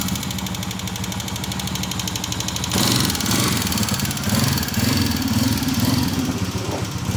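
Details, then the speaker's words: Honda CG 125 single-cylinder motorcycle at idle: a light, rapid tick-tick over a steady idle from worn tappet rods in the valve train; the fix is new tappet rods, not piston, rings or cam gear. "इसका ring piston कुछ नहीं डलेगा, इसके tapper rod डलेंगे, ये हो जाएगी"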